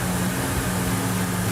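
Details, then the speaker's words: Original-owner 1968 Dodge Charger R/T V8 at idle with 60 psi oil pressure: deep, steady, even hum with no knocks or misses; idles smoothly and healthily. "Very nice. All right, I'm gonna shut it off. 60 pounds of oil pressure at an idle."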